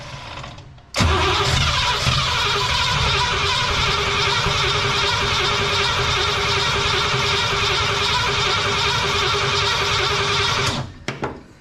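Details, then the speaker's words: Cadillac "Lil Debby" with carb and new fuel pump, line blown out to the tank: about ten seconds of even cranking at roughly 2.5 turns a second, never catching; fuel not reaching the carb, tank issue suspected. "Okay, here we go. Well, we're still not getting any fuel yet."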